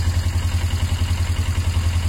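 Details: Motorcycle engine owner thought had a knocking sound, idling steadily with an even low thump of about eight pulses a second, no misses; revs fine, not lacking power, may just need fresh oil.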